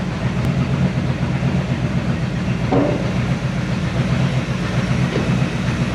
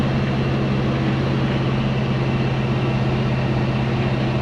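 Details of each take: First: 1970 Chevy C10 pickup, 327 small block with HEI distributor, hard starting: lumpy, uneven low rumble with irregular pulses instead of a smooth beat; runs rough from incorrect ignition timing. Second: 1970 Chevy C10 with a 327 small block and HEI distributor after the ignition timing was set. It gives a deep, even V8 idle with a smooth steady beat and no misses or pinging.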